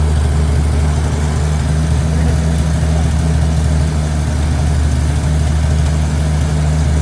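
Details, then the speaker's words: 1955 Chevy 3200 truck, first start after about 50 years sitting: deep, lumpy, slightly uneven idle. Smoke easing, muffler rusted out and blowing dust. Rough idle after long storage, cause not confirmed. "It's idling. There's less smoke. A lot of it's also going to be dust because the muffler is completely rusted out on the bottom."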